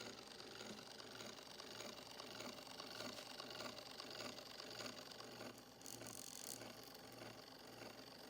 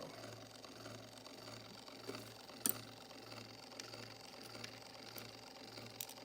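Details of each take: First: Rebuilt 1905 Victor II phonograph spring motor with coarse straight-cut gears, after bearing set. Light, even whir with a soft rattle but no harsh clatter: gears running quietly. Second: Rebuilt 1905 Victor II phonograph spring motor, just after setting the bearing, before graphite greasing. Light, fast steady chatter over a faint hum from the coarse straight-cut governor drive gears: normal straight-cut gear noise.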